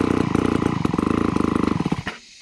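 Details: Vintage McCulloch 250 chainsaw running after a restoration: crisp, even two-stroke buzz at a steady fast beat with no misfires before cutting off; runs cleanly.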